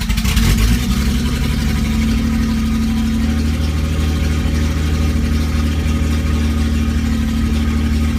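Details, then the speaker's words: Datsun running with no exhaust, after rewiring the fuel pump so it runs continuously: a loud, open-pipe idle that holds fast and steady, steps up slightly and never drops to a proper slow idle. The high idle persists, and the owner's fuel-pump theory did not fix it. "okay so that didn't help my high idle um let me just make sure that the fuel pump is still running sure does um it didn't do anything for my high idle"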